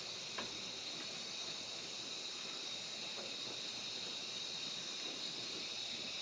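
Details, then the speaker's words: 1973 Peterbilt 352 cabover with 12V71 Detroit Diesel, first run since 1984: constant high hiss with no rhythm from a busted air line; leak too big to build much air pressure. "i don't know if you can hear it there's a busted line but that's about all we're going to do for air leaks today"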